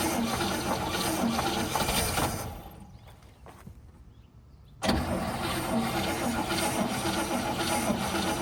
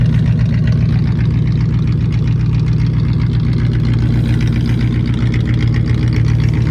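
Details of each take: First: 1959 Cadillac flattop sat for years, first start attempt with nothing done but cleaning, fluids good, battery charged: catches and runs briefly, sags nearly silent, then cranks and roars back; carburetor possibly not full, fuel starvation suspected. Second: 1959 Cadillac V8 after years sitting, fluids checked: deep, even warm-idle burble holding a steady beat with no misses or knocks after coming down off fast idle; fires right up, smooth and healthy.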